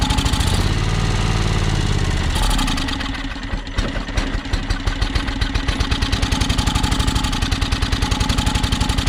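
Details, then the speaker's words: John Deere X485 mower, fresh gas, plugs checked, battery nearly dead; catches then stumbles into an uneven lumpy beat about four firings a second that hunts; owner suspects fuel starvation, maybe air pressure; rough running and stalling. "sounds like it's definitely um sounds like it's starving for fuel i'm wondering if it doesn't have something to do with the air pressure"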